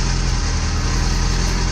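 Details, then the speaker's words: Mazda Miata after a jump start from a dead battery: steady, even low rumble with no knocks or misses; smooth, normal idle. "sounds good to me it sounds normal that was it"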